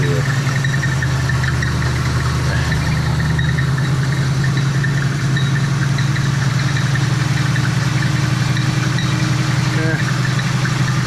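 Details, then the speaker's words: Old Oldsmobile V8 on its own fuel tank with radiator in, transmission not hooked up, in a cold shop, warming until the thermostat opens: deep, steady idle with an even low rumble, no knocks or misses; sounds good. "And I don't want to run it real long because the transmission, I don't have that hooked up. But man, sounds good."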